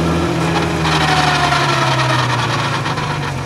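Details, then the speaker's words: VW MK5 R32 with 6-speed DSG transmission at 200,000 miles, on deceleration: steady drone with thin tones drifting high as car slows; gearbox noise, also sporadically locked in second with flashing PRNDS light; failing transmission bearing. "I bought this MK5 R32 for cheap because on deceleration, the transmission sounds like this."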